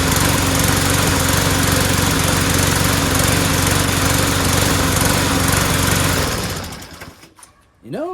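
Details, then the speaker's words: Mower after fitting a replacement O-ring part: an uneven sputtery beat of about four a second, then it dies out. The owner suspects cloudy, water-saturated gas mixed with two-stroke oil, not the carburetor, and plans to drain and refill. "know it doesn't sound so good it sounds sputtery so I don't think it's the carburetor that's all I was thinking it's got bad gas in it"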